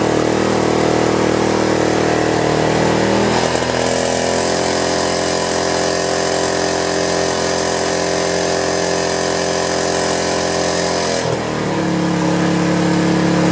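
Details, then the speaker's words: Power washer small engine running strongly with an even, steady buzz and a brief pitch shift as the governor settles, right after carburetor cleaning fixed a no-start; normal running. "well that did it that is one hefty motor man that Joker is suckers got some powered on it you can hear it"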